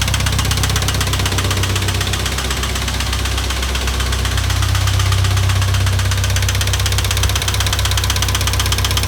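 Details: International Harvester 2544 tractor engine idling with a steady sharp knock, about four a second; source still not determined.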